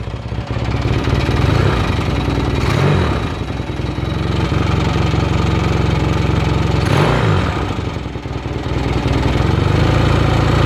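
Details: 1979 Yamaha XS650 360-degree parallel twin after rebuild with rebored cylinders, new pistons and stainless valves; firm even idle, clean pickup on blips and smooth return, healthy fresh engine.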